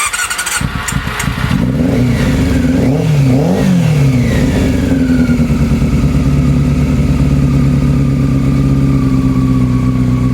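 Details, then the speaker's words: Honda CB400 Super Four, carbs bench-synced, running on the fuel left in the carbs with no fuel supply attached. It blips, then idles with an irregular, lumpy beat. A cylinder still seems to be running cold; the owner suspects carb sync between cylinders 3 and 4, unconfirmed. "all right still seems to be running cold now so what still seems to be running cold now i'd bench sink them so i think i might just try and have a bit of a tinker between um three and four on a on a sink"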